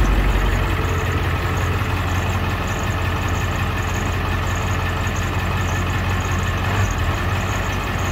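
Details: 2001 Ford E450: heavy low idle with uneven lumpy beat and no steady rhythm; rough idle, cause not yet known.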